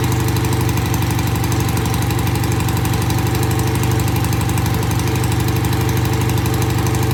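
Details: BSA A65 twin after cleaning the pilot jets of its new Premier carbs. Cold-started easily after tickling, it gives an even, slightly lumpy idle with a regular low thump and both cylinders firing steadily. Normal idle.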